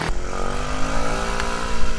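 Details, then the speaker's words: Tao Tao 50cc scooter, run outside after repair. It previously wouldn't stay running and the float bowl seemed to empty; the owner thinks a slightly-off valve was the fault. It catches with a nice turnover and keeps running with a steady low burble. "Ooh, that was a nice turnover."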